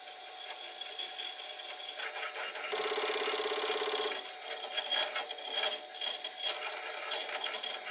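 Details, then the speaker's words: Commodore 1541 disk drive from a shed, partly cleaned, loading a directory: a rough, rapid grinding buzz about twice a second for over a second as it struggles with the disk; it does not function properly. "makes a makes a kind of a grinding noise you can probably hear that"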